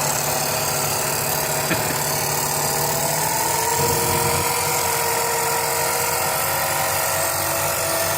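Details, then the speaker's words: Sieg mini lathe factory motor re-tested after polyurethane soaking, with a new belt and the head loose; whine drops in pitch as the motor slows around 50 volts with some smoke, pointing to remaining shorted windings. "Alright, so from what I can determine is the polyurethane helped, but I guess it probably didn't saturate all the wires and there's still some shorts in there."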